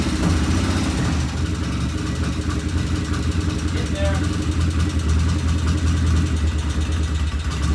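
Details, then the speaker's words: 1975 Norton twin at first start, run to check oil flow: uneven idle with a light tapping over the exhaust beat, one loud tappet to be checked once cool, plus an occasional unidentified irregular noise. "All right, we have a runner, but it sounds like we have one loud tappet."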